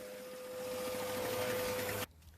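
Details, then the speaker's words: 1971 Sears ESKA 5hp two-stroke outboard after fuel tank cleaning and idle and jet tuning: steady, even high buzz with constant pitch and no misses, then shut off; motor now running fine. "great looks like oh it's working oh no I mean Seoul Motor started working just fine now I play with the idol and the jet school a little bit and everything seems to be responding"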